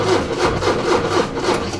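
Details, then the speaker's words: 40-year-old Porsche 944 no-start, cranked on a booster pack: steady rhythmic cranking about four strokes a second with no firing; no fuel reaching the rail, fuel pump not priming. "So there's literally no fuel going through the rail, which we'll jump the fuel pump."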